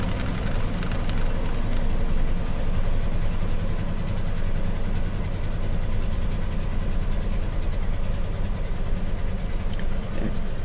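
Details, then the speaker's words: Ford F350 Crew Cab camper engine at idle, checked with a VCM II scan tool via OBD; the owner assumes cylinder two is the one not producing much power. Deep, lumpy, uneven idle with a recurring stumble: misfire, dead cylinder. "number two cylinder I assume that that is the one that's not producing much power"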